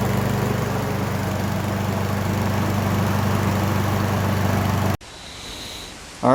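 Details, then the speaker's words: Briggs & Stratton 550EX lawn mower engine with plastic carburetor, after cleaning carb and jet to fix surging; steady even drone with no hunting or surging, running properly. "so then i have it all put back together guys uh as you can see it was running perfectly"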